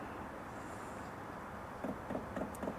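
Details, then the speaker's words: Sunster TB10 Pro toolbox diesel heater starting at 60°F, fan speed about three, elevation 0.2 km: low steady fan hum, then soft regular fuel pump ticking as it primes before ignition; normal startup. "You can hear the ticking of the uh fuel pump right there. This ticking right here before the the the diesel heater actually starts up, that is completely normal. That's always going to happen."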